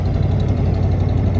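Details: Chevy 454 V8 cold-started at -35°C after earlier no-starts: deep, steady, smooth burble at a quick fast idle, as expected. A small exhaust leak is present.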